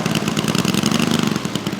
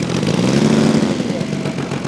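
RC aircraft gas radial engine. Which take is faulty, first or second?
second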